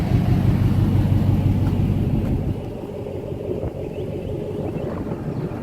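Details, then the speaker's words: 2014 Dodge Ram Hemi V8 with new BBK shorty headers, exhaust cutouts open: loud, deep rumbling idle with even lope, no ticks or misses; normal V8 idle with open exhaust. "This is the headers with the cutouts open. Doesn't sound too bad."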